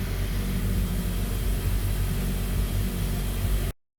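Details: Mazda CX-5 Skyactiv engine just after valve cover gasket replacement, cover torqued in sequence, check lights off: smooth, even low idle with a steady rumble, no ticks, knocks or misses; healthy and settled.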